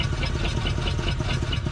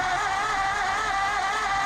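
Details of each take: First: 1947 Ford Coupe flathead V8, first run in about 15 years after barn storage, throttle held wide open: uneven lumpy running with a stumbling beat and missing pulse; owner hoped it was fouling, later found stuck valves. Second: 1947 Ford Coupe flathead V8, unstarted about 15 years, cranking on 12 volts before the spark check: even starter whir with a steady pulse about four a second, no catches; it turns over smoothly, though the starter may be strained on 12V.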